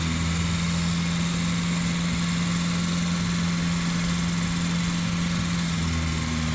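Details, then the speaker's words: Volvo 940 just after first start following a camshaft and valve spring upgrade. It recovers from three cylinders to a steady, even idle on all four, with no stumble or ticking. "okay we're running on three but sounds like we're on four now"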